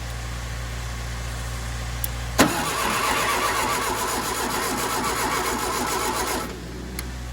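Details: 1967 Volkswagen Beetle sitting locked away 34 years, battery being charged from a running truck: starter spins the engine at a steady, even rhythm about four seconds but never fires; cranks, no start.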